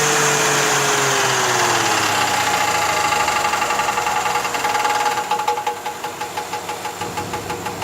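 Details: 1985 Cadillac Fleetwood Brougham petrol V8 running with a steady repetitive knock of about three beats per second; owner unsure of the cause.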